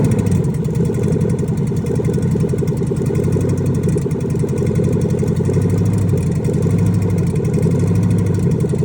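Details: Rebuilt junkyard 2005 LSX V8 on its second start, idling steadily with a light, quick ticking that keeps time with the engine; source of the ticking unknown.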